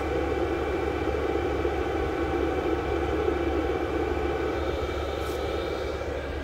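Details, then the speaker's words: VEVOR 8kW 12V all-in-one diesel air heater running outdoors on an old battery, exhaust reaching about 300°F: quiet, steady rush of air with soft fan hum, no ticking, rattling or surging; normal running. "first it's nice and quiet it just sounds like air blowing"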